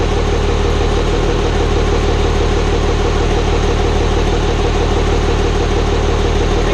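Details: Hybrid 5.9/6.7 Cummins diesel swap, first start-up after the build. Even idle with a light rhythmic tick about three per second over the clatter, from the front valve cover; builders suspect loose valve lash, not confirmed.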